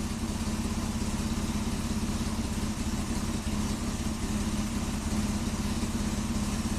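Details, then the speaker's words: 1998 Mitsubishi Montero Sport V6 with sluggish acceleration and low mass airflow, catalytic converter ruled out, EGR suspected: running at about 500 rpm with lumpy, loping firing pulses; rough running, cause not confirmed. "man it's really not happy 500 rpm running really"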